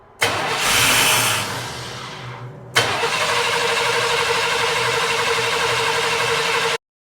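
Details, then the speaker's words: 1997 Chevrolet 1500 5.0 L, 2WD, died while driving: the starter cranks steadily with the return line pinched, but the engine never fires. Fuel pressure reaches only 20 psi, so the pump is weak; the fuel pump and filter were replaced. "The fuel pressure gauge doesn't lie. It's only got 20 pounds of pressure. So it's got to have a fuel pump."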